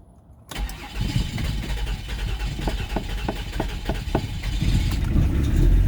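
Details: 2003 Mazda 6 3.0 V6 petrol cranks and catches roughly with a low uneven rumble while trying to start, then dies and won't keep running; a humming continues after it stalls.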